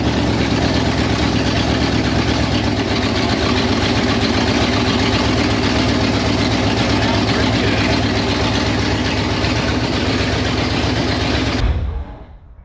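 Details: 1968 Pontiac Firebird parked 30+ years: steady, even idle with a regular beat and no knocks or misses, then a clean shutdown; sounds healthy.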